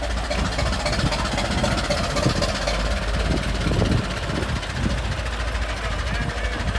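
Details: Restored 1921 American LaFrance fire engine driving down the street: deep, loud, even engine beat with rough old-style rumble under road noise, no misses; normal running.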